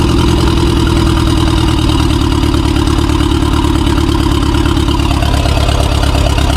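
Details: 2016 BMW 428i xDrive with cylinder 2 misfires, drivetrain malfunction warning, heavy smoke and oil present, before the cylinder 2 coil swap: uneven, lumpy idle with a pulsing low throb, whole car shaking, no power; rough misfiring idle.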